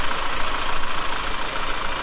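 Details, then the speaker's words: Kia Cerato, 676,087 km, after replacing injector seal rings that were sucking air and causing rough running: even, steady idle with no stumbles or misfires; engine now runs smoothly. "Так, двигатель стал вообще ровно работать. Нету перебоя никакого уже. Все отлично, можно."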